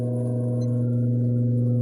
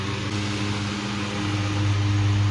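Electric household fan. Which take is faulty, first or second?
first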